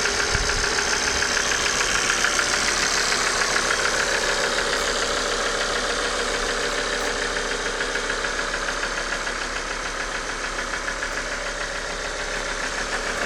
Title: Bruit moteur injecteurs et pompe à huile hs !